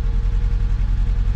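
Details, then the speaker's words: Mk1 Fiat Punto, low mileage, cold start idle heard from the tailpipe after correcting swapped HT leads that caused a misfire: even, regular exhaust puffs with no skipped beats; running smoothly. "it sounds better I'm getting taking in a lot of fumes here so I won't stay here too much longer"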